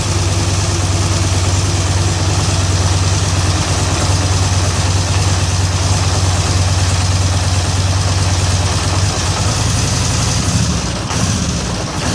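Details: 2013 Polaris Sportsman 850 XP HO: low twin idle with uneven, lumpy beat about three pulses a second; code 520194 7 throttle stuck despite free throttle; TPS, throttle body, IAC swapped and T-MAP cleaned with no change; cause unknown.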